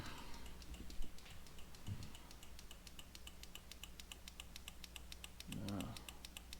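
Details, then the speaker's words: Honda CRF250L Rally, ignition on and turn signal activated, before LED relay swap: the stock flasher relay gives faint, quick, even ticking over a quiet background. It is clicking normally and was located by ear, seemingly behind the brake reservoir. "we're just going to use our ears we're just going to turn it on hit the signal and we should hear it clicking"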